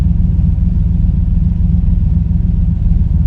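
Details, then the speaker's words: 1984 TVR 4.0 Rover V8 with competition carburettor and distributor ignition, driven on cold wet January day after months unused: deep even V8 rumble pulling cleanly under acceleration, no stumble or popping; healthy. "Listen to that, it's beautiful. That's a competition carburetor, can you believe it?"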